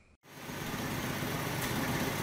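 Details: 1967 Mustang 200 cu in inline six, first start after sitting about 20 years, after fitting electronic ignition, new plug wires, coil and rubber fuel line: steady low even rumble, no knocks, misses or surging; normal idle.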